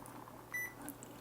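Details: Old, battered battery-powered MiniDisc player connected to a stereo: a single short high beep when play is pressed, then quiet; the player responds normally.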